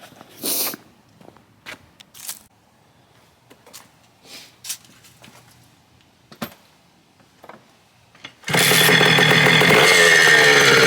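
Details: 1987 Kawasaki KDX80 two-stroke dirt bike during mechanical restoration, exhaust baffle removed: after a few kicks and some handling noise it fires and settles into a crisp, raspy, even run with no misses.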